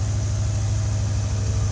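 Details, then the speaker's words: 1984 C4 Corvette, warm engine after a smoking episode (owner hopes it was oil from a leaking valve cover gasket, suspects the exhaust manifold if it smokes cold): even, steady low idle, no knocks, misses or hunting; normal warm idle. "i don't know but the car's not overheating as you can hear it's running good"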